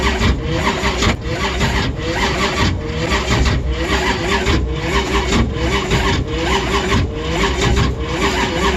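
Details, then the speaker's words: Engine on first crank after the battery was left charging all night; fuel pressure came up normally. The starter labors in slow, uneven pulls and never catches. Owner suspects a failing battery. "and as you guys can hear i am suspecting that my battery has gone to [ __ ] because i left it charging all night long this is the first time i've tried to crank it and as you can hear the thing is just fighting"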